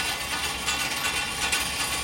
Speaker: That noise now is that bottom drum has got a bit of a dent in it, so as that still stays spinning, flicking the blade up and down like